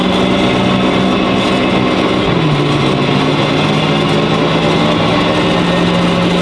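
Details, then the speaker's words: Cheaply bought BMW M5 F10 from Qatar, V8 biturbo, run on the lift to chase a rear noise: steady low drone following wheel speed, dropping in pitch as the wheels slow. "wir wollten hier hinten weiter gucken zum Geräusch"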